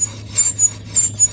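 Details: Infiniti M45 RWD front wheel off, rotor spun by hand: sharp paired metallic screeches each turn as worn brake pads scrape the disc; pads, rotors and hubs being replaced.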